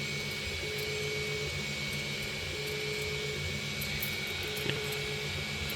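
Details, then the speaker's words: 3D printer printing: constant fan hiss with short repeating motor tones and a rough, nasty edge during extrusion; owner suspects moisture in filament, not confirmed. "It's like I can hear it. It's like nasty."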